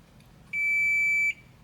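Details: Midea air conditioner control board after replacing the shorted diode: single clean beep under a second then silence, the parallel capacitor charging; no short left.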